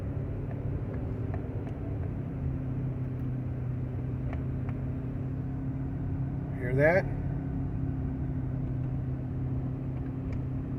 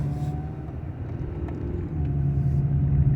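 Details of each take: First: 1995 Honda Accord, about 339,000 miles, cabin while coasting downhill off throttle: steady low growl and hum, no vibration, suspected from the front; no noise when applying gas or climbing. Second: 1995 Honda Accord with about 339,000 miles, driving uphill under throttle: steady low engine rumble building smoothly with no growl; the weird noise appears only off load going downhill.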